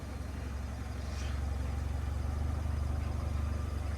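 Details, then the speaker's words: 2007 Peugeot 307 CC 2.0 petrol, parked for a year, in neutral at first start: steady, even low thrum at about four pulses a second with no knocks or stumbles; idling nice and smooth. "You can see it's idling nice and smooth as well. It's been It's been parked for a year, this car."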